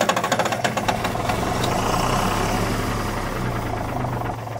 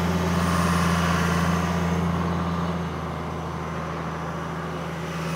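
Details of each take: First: 1997 Kershaw Klipper right-of-way trimmer diesel, smoking white: turns over with loping chug about three a second, then steady drone, never fires; injection pump fuel solenoid not getting power. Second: 1997 Kershaw Klipper right-of-way trimmer diesel, 27 years old, revived after something heard clicking it on: low, even rumble, steady beat, no misses or knocks; healthy idle.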